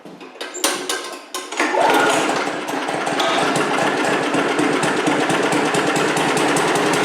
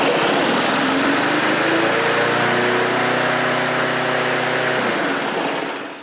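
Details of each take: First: Briggs & Stratton 3.5HP push-mower engine with a Pulsa Prime carb-on-tank carburetor after cleaning and rebuild: it runs steady but fast and buzzy at high rpm, then shuts off. The owner suspects the linkage or springs aren't right. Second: Briggs & Stratton 3.5 HP push mower engine with Pulsa Prime carb-on-tank and primer bulb, test run after carburetor clean and rebuild (tank has a pinhole leak): steady even buzz for about five seconds, then smooth shutdown; normal running.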